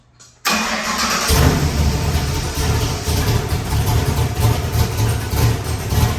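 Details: Ford 408 Windsor stroker small-block V8, carbureted, with a new performance camshaft, hot run test (not dynoed): fires instantly and settles into a deep, choppy, lumpy idle, steady throughout; healthy big-cam engine.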